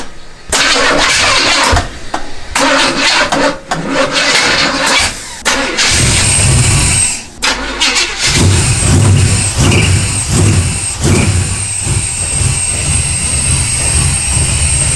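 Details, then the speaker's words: 1969 Chevelle V8 first start after distributor reinstalled and timing set, air cleaner on; cranks, catches and settles into a rough idle with a faint thin high whistle on top; owner suspects fuel injection or a vacuum leak, sounds like something sucking air. "but there's definitely some kind of whistling noise come in from over here somewhere so could just be the fuel injection or vacuum"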